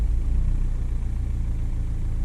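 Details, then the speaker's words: VW Golf/Jetta Mk5 TDI diesel idling while scan tool cycles EGR valve between 5% and 95% duty; steady low rumble whose note rises and falls as EGR opens and closes; engine and EGR working normally. "So it looks like, yeah, EGR, I can hear the engine note changing, so that's all working fine."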